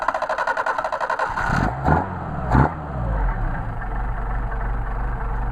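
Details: Mercedes 190SL twin carburetors on test after rebuild, running again after a grit flake blocking fuel was cleared, slow to warm in the cold; after a couple of clunks settles into a smooth even idle with steady low drone.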